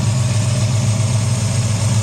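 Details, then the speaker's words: V8 after a failed cheap Summit Racing distributor, while adjusting timing: deep, steady, smooth idle with no misses or knocks; timing checked at about 20–25, slightly retarded. Normal idle. "Hello, look at that. Geez, that's really happy straight off the bat."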